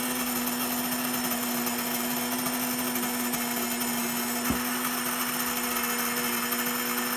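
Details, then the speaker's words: Electric grain mill grinding berries into flour: steady motor drone with a dense crackle of berries breaking up, which fades once all berries are through; normal milling. "so as the sound dies down you can tell whenever the berries have gone all the way through because you can't hear that crackling popping noise anymore"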